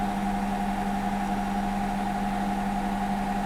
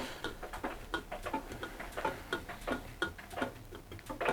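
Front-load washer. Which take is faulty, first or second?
second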